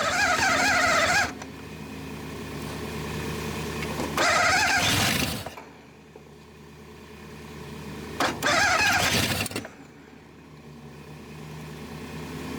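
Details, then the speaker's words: 1962 Dodge 100, first start attempt in 25 years on gas poured in carburetor: cranking with sharp pops backfiring through the carburetor, won't catch; owner suspects a stuck-open intake valve, throttle return spring broken. "I believe one of them intake valves are holding open is what the problem is, and let it backfire up through."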